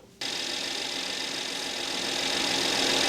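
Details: Mercedes S400 (W221) with engine rough-running in cold weather: catches and settles into a hissy, uneven loping idle; cylinder 2 suspected with slightly low compression, coil and injector checked.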